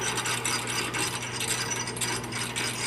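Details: Midwest Super Cub aftermarket 4-speed tractor-pulling transmission being assembled, shaft turned by hand after tightening fork bolts: crisp, even gear-mesh clicking, no grinding or binding; gearbox sounds healthy.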